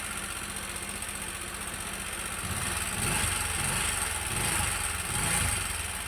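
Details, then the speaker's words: Motorcycle idling, noise returned after three months of riding: uneven rattly chatter about four ticks a second over the beat; suspected cam chain or bearing, and the cam chain tensioner was found on inspection. "Ini sih suaranya kayak suara keteng, dia kayak ketinggalan suaranya."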